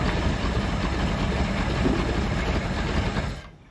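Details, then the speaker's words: 1976 Glastron boat with 302 engine, sat 10+ years: low busy rumble at steady idle for about three seconds then dies; runs, carburetor needs rebuilding, key doesn't kill it. "It's flooded it out. That or I flooded it out. Okay. So it's gonna live."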